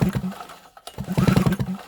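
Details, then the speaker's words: GMC 850W two-stroke generator saved from scrap, spark plug out and grounded against the cylinder head for a spark test: two quick recoil rope pulls with rapid, firm, even chuffing. Compression sounds normal, and there is a compression noise at the top end. "Okay, now that noise you heard before wasn't just the compression. When I was pulling the rope, it's a bit hard to do this one-handed, but we have a compression noise at the top end,"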